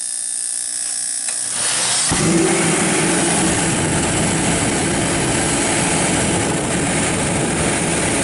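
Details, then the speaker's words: Kerosene torpedo heater, seven years old, after service for hard starting blamed on fuel left over winter: short buzz then steady even roar without surging or sputtering; pump now much quieter, burning cleanly. "so this pump is a lot quieter that's one thing I wanted to mention to you guys"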